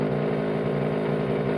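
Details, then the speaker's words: E-bike motor after a short circuit burned a part in the controller: harsh buzzing drone with rough growl, no spin-up; motor vibrates back and forth instead of turning, controller believed dead. "doesn't spin horrible noise I think the motor is just um vibrating back and forward it doesn't spin so I think that controller is done"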